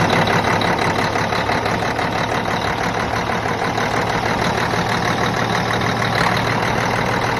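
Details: Cummins ISX diesel after a low fuel rail pressure code (SPN 157 FMI 18) on hills, idling after a new fuel pump head was installed and primed; loud, steady even clatter, no stumbling, running normally.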